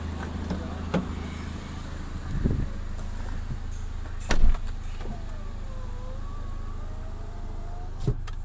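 Steady low engine and blower hum with a few clicks and no hiss of escaping gas; the air conditioning runs normally.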